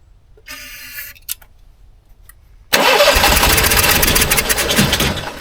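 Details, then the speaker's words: 15-year-old Onan 5500 RV generator unused at least 6 years with bad gas, primed after air in the fuel line, code 36: steady fast crank about four turns a second without firing; fuel problem suspected, possibly stuck float bowl or carburetor. "I may need a new carburetor this thing's been sitting so long"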